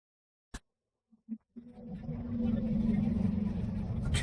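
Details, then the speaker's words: Yamaha NMAX 2020 (All New) cranking: a few clicks, then steady churning that never catches; spark plug first suspected but found fine, and the no-start was traced to the fuel pump system. "ก็มีอาการสตาร์ทไม่ติดนะครับถ้าสันนิษฐานนะครับเบื้องต้นก็คือหัวเทียนนะครับเดี๋ยวเราจะทำการลองสตาร์ทให้ดูนะครับว่ามันเป็นแบบไหนนะครับ"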